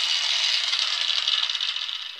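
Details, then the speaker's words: 20-year-old cheap grinder reassembled after repair: smooth, high, even whir with no rattle or scraping, tailing off at the end; spins freely, sounding better than in a year; normal running. "sounded better than it has been a year"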